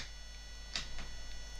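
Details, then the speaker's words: Cheap RC truck (MX1608RX/TX chipset) DC motor on bench at PWM drive 2 of 255, supply to motor and driver chip: faint steady high singing tone, no turning sound, motor stalled; PWM whine from stalled DC motor. "So 2, and we can start to hear it singing, but it's not going round."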